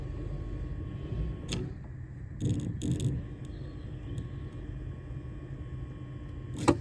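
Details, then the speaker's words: Non-running 1995 Fiat Tipo 1.6 SX that cranks but won't fire, no power reaching the fuel pump, pump wired directly to a 12 V battery: faint, steady high hum; pump runs quietly and evenly. "that is pump fuel or at least it's got power and it's doing something it's quite quiet actually no wonder I might not be able to hear from inside the car"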